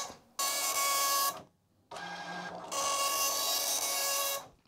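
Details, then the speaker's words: Commodore MPS 1500C color dot matrix printer driven by an Amiga, printing a Workbench graphic screen dump (in black, not color): even high-pitched buzzing print-head passes about a second long with short pauses; normal printing. "so now it's printing a screen dump all right look at that nice although not in color"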